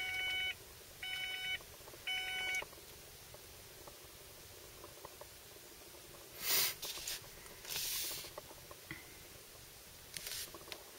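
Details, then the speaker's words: 1995 Ford Probe GT with 102k miles: three evenly spaced beeps in the quiet cabin. It keeps repeating even with the car off and locked, draining the battery. Source unknown. "that's the sound it does it does it even when i'm out of the car the car is locked it just keeps on going and it drains my battery"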